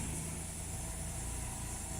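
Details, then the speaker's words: 2000 Toyota Celica GTS 2ZZ at cold start: idle sounds uneven and slightly stumbling, with a wavering low drone. Rough cold idle; it hesitates and sometimes stalls on cold deceleration, and the owner suspects a vacuum leak. "at Cold startup the engine looks like it's a bit stumbly"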